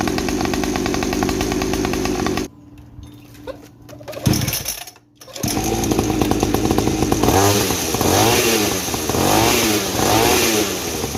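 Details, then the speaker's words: 50cc two-stroke mini trail bike after silencer modified with more holes and glass wool packing, exhaust about 50% quieter: buzzy idle, pause, then quick rev blips, engine and chain clatter audible; healthy running, quieter exhaust. "Nah itu tadi ya hasilnya setelah kita perbanyakin lubang di silencernya, sehingga suara dari knalpot itu menyebar ya, masuk ke glass wool sehingga teredam ya sekitar 50% lah."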